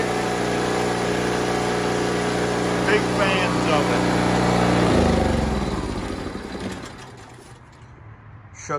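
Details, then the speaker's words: Pulsar PG3250 generator, about two years' use, cold start on a 40s °F day: after surging up and down for a few minutes while warming up, it settles into a steady even hum with no hunting and shuts down cleanly without dieseling; normal smooth idle. "that's the stuff it does from warm up and after that nice and smooth not overly loud not super annoying"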